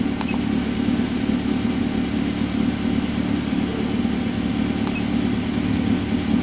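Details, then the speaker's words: 2010 Toyota Avanza after the fault was fixed: check engine lamp off, idle down from over 1200 to about 1000 rpm, and expected to reach about 900 rpm when fully warm. Steady, even hum with no knocks, misses or hunting, a normal idle. "Kemudian RPM-nya sudah turun. Nah tadi 1200 lebih, sekarang sudah 1000. Nah nanti lama-lama kalau mesinnya sudah panas, nanti akan menjadi turun lagi sekitar 900 RPM."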